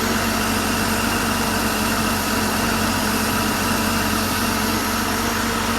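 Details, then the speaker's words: Porsche flat-six engine after full rebuild (bottom end reassembled after broken valve spring debris, collapsed chain tensioner, cam and rocker wear), first test run on an engine stand: steady, even idle with smooth low hum, no knocks or misses; healthy. "Anyway, I'll start it up because I know you're sick of hearing me. So we'll start it up and see how we go."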